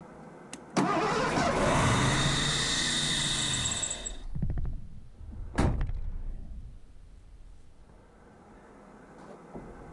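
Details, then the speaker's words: 1984 Ford LTD Crown Victoria V8 after distributor and automatic choke work: catches and roars, then settles to a fast steady idle, noticeably high. Cause suspected, not confirmed. "I mean seems a little high to me"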